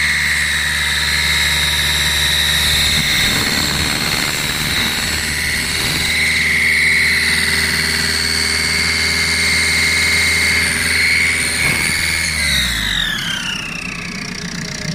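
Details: 2007 Ford Galaxy 1.8 TDCi diesel under acceleration: steady high whistle over engine while pulling, sliding down in pitch as revs drop; whistle under acceleration.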